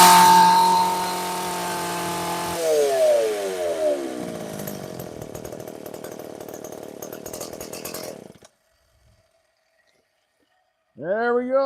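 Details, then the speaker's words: McCulloch PM 610 two-stroke chainsaw, likely from the 1990s, after a carburetor clean and many pulls on choke: it fires and holds a high, buzzy rev before dropping off. It runs strong with lots of power but smokes heavily; running is normal. "Success. She is a smoking beast. Lots of power."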